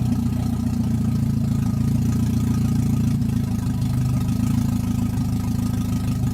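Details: Toyota 1NZ-FE engine that would not idle on its own, after checking idle air control valve and suspecting a throttle body port: fires and holds a steady even low idle with no stumbling or hunting; normal idle.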